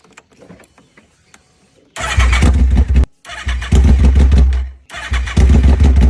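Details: Yamaha R1 motorcycle, cylinder troubleshooting: repeated cranking bursts of a couple of seconds with pauses between, engine never catches; cranks but won't start.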